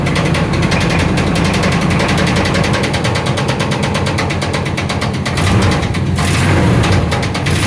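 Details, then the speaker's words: 1994 Chevy Silverado V8 cold start: heavy, regular deep knock over idle, loud and steady, three times worse than before, with dark gray-black smoke; suspected rod knock, bottom-end cause unconfirmed. "oh no oh no very bad it's three times worse than the last time I heard it"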